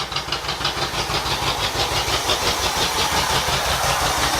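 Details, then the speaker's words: Midnight Maroon carbureted engine blowing black smoke, unburned fuel from driver's side bank, timing checked: uneven loping beat about three pulses a second, ragged sputter, near stall; owner suspects choke setting or accelerator pump, not confirmed. "It's about to die again. I do not understand what's happening. Wonder if my choke's not set right."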